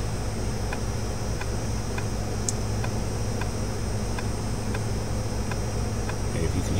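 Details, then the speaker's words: 3.5-inch 1.44 MB FAT12 floppy disk being scanned on a modern computer for data recovery: soft, regular clicks about twice a second over low computer hum, normal sound of the drive reading the disk. "clicking that's what it means it's doing it's actually reading the disk"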